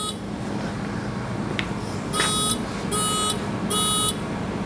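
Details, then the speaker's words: 1988 Mazda RX-7 rotary with a no-start: key on with a diagnostic checker connected gives three short high beeps, diagnostic code 03, confirming the right connector. "Let's just say that this is our code because it's just sticking with 03. Three beeps."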